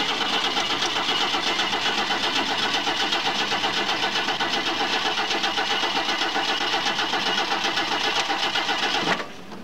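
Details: Ford Maverick cranking but not starting: even starter cranking at about four beats a second for nine seconds, never catching or firing before it stops.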